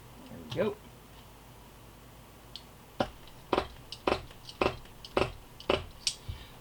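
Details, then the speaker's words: Dynamite .15 nitro RC boat engine (Miss Budweiser), freed up after locking from sitting with gelled fuel: turned by hand, a firm, even puff-and-snap about twice a second; plenty of compression, normal. "it's got plenty of compression. As you can hear it, you can feel it, you can see. Takes a decent amount to be able to get this thing to turn over, which is nice."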